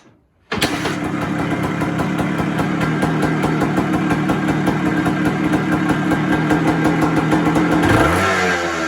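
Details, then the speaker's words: 1980 Suzuki RS250T two-stroke enduro, six-speed, very original, fires quickly and settles into a crisp, steady ring-ding idle; sounds healthy, though it smokes and the owner suspects a leaky base gasket. "we'll get it fired up you can listen to her she sounds really really nice"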